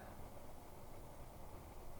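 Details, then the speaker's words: Zoned high-velocity home HVAC system after one year of use, fan only moving fresh air before the AC is called: soft, steady airy rush with no ticks, rattles or hum swings, normal quiet fan operation. "right now this is just the ambient sound of the fan moving fresh air"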